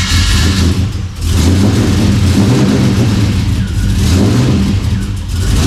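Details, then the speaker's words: LS-swapped 1992 Dodge Dakota V8 first start after fitting a catch can and capping the throttle body: rough surging, sagging struggling start, as if flooded with fuel. Later starts fine; idle screw adjusted and a major vacuum leak suspected. "It almost seemed like it was full of fuel when I tried to start it the first time, but now it starts up just fine."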